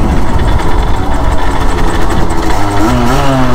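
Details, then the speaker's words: 2016 Derbi 50cc X-Treme Limited supermoto two-stroke, 19,000 km, derestricted but otherwise stock, stock exhaust, 32°C day: low, steady, quiet drone with a soft note rising as it picks up speed; normal running. "Elle fait pas beaucoup de bruit vu que c'est de l'origine. Il n'a pas changé la cartouche ni rien."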